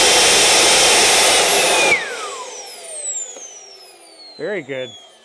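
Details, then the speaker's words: CARF Rebel Hot RC jet's newly installed turbine at the end of its test run, which ran awesome. A loud roar cuts off, then a high whistle falls smoothly as it spools down evenly. Normal turbine run. "good engine ran awesome"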